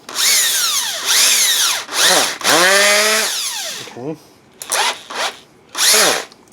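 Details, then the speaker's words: Makita BHP452 18V hammer drill after gearbox cleaning and rebuild, weak battery, testing hammer function: short trigger bursts, motor spinning up and down cleanly and evenly with no grinding; runs normally. "all right this is what I'm nervous spell it's a hammering function if I can get even to go"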